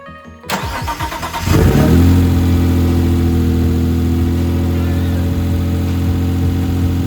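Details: Mitsubishi GTO twin-turbo, self-rebuilt engine, first start in 3 years after jumping fuel pump relay: fires after a few cranks, catches cleanly into steady even idle with no misses or knocks; relay suspected of keeping engine running after key-off.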